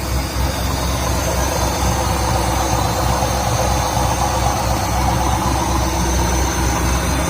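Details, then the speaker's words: Nissan Hardbody D21 truck build, new AEM fuel pump, new exhaust with electric cutout, not yet tuned, just started: steady even idle with smooth low rumble, no ticks, knocks or misses; nothing leaking, runs healthy. "Nothing is leaking. Everything is happy. And it sounds good."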